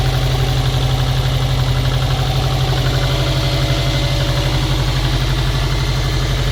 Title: стук мотора "на холодную"